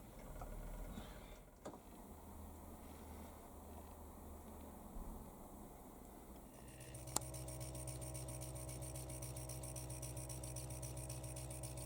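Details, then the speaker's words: Finished Stuart Models S50 model engine: after a few seconds of room noise, a fast, even chuff settles into a steady beat; the little engine runs smoothly. "and i'm going to leave you with a clip of the stuart models engine running merry christmas everybody"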